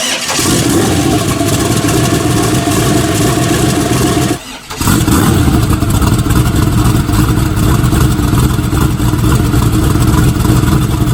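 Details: Newly built Dart-block turbo race engine for an S10, restarted after turning timing up a little: loud, lumpy, fires, drops out briefly, catches again and settles into a choppy but steady idle.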